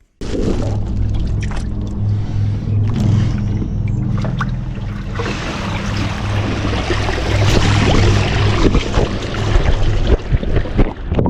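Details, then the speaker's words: Newly installed Legend hot tub with jets on: a deep, fast drumming throb, about four beats a second, under rushing water. It comes from one non-adjustable vent in the footwell. The cause is unknown. "That's the constantum drum drum drum drum no druming noise all the time when you're in the when you're in the tub and the jets are on."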